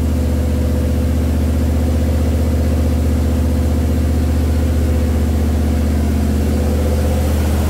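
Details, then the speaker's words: Jeep CJ5 freshly built engine with Holley EFI, break-in at about 1850 rpm, coolant about 208°F, both electric fans (190/200°F): steady even fast idle, no knocks or misses; healthy, oil pressure 45+ psi. "about 208 right now the second fan comes on at 200 degrees so one at 190 one at 200. the 1850 RPMs right in that ballpark"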